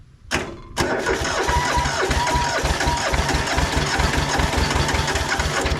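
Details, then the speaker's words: Hinomoto (Southern) diesel tractor, unstarted for 2–3 years, started on a retry through thin glow-plug leads: it catches, then chugs lumpy and uneven at about two thumps a second. Owner suspects it is firing on only one cylinder. "I think we're only on one cylinder."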